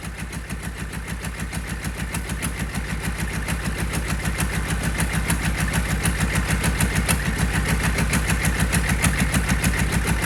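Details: Rebuilt GEP/Navistar 6.5 diesel (GM design, block cast 2009; Scat crank, bored 30 over, moly pistons and bearings) with Stanadyne DB2831-4911 injection pump, warming toward 180°F; even clatter about 200 beats a minute, steady and regular; healthy idle.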